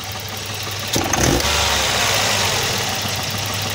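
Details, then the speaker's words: Volvo 240 with B230F redblock engine after fitting a replacement distributor to cure advanced-timing pinging (detonation): engine runs evenly with one short rev blip and no metallic ping under load; healthy running. "i'm so happy now she's running good without any ping"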